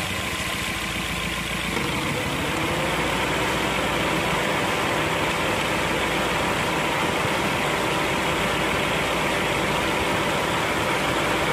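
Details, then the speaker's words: Car radiator fan motor running with loud, rough, steady whirring and faint hum at idle, audible in cabin; worn fan motor with used-up brushes, fixed by replacing brushes. "Di video kali ini saya akan berbagi pengalaman tentang mobil saya yang motor fan-nya rusak. Akibatnya suara berisik terdengar dari dalam ruang kabin."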